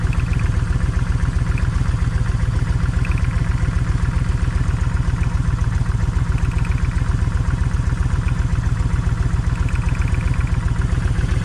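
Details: Kawasaki Vulcan 1600 V-twin, loping lumpy idle about four beats a second, one cylinder dropping out; left cylinder's plug stays wet. Owner tests plug wires to tell bad coil from bad wire; still no difference.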